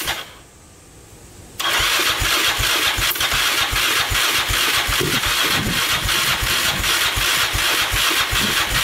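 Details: 2002 Yamaha Raptor 660 after timing chain and bent valve replacement, choked, first start attempt: starter labours at two or three turns a second, no firing; spun too slowly to start.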